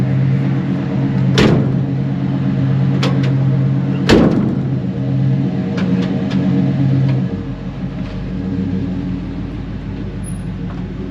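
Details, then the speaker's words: 1987 GMC G3500 Rally one-ton van with an early 350 TBI throttle-body-injected V8 and an exhaust thought to be Flowmaster, idling: a steady, even low rumble with no knocks or misses that settles lower near the end. Normal idle. "But yeah, if you can't hear it, she's idling really good."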